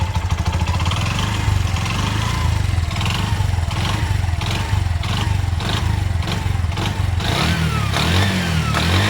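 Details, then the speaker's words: Bajaj BS4 auto engine restored 3.5–4 months ago: a light rapid knock at idle, sharper under gentle throttle. Oil is full and not being consumed. Connecting-rod noise was suspected and then confirmed; the bore is not scored. "Sound ಏನೋ confirm connecting ಇದೆ ಅದು board ದು ಗೀರ್ದು ಏನು ಇಲ್ಲ"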